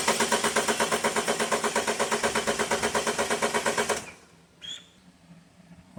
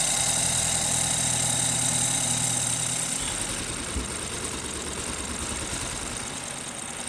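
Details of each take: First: 2012 BMW 528 N20 4-cylinder with misfire codes on cylinders 1 and 3, relative compression test with injectors unplugged and coils in: even starter chug at about three pulses a second. Compression even across all cylinders, including 1 and 3. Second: 2012 BMW 528 with N20 four-cylinder, towed in running rough; injector and fuel-pressure waveforms captured while running until it misfires: a regular uneven stumble, about three a second, then dropping off. Misfire traced to faulty injectors.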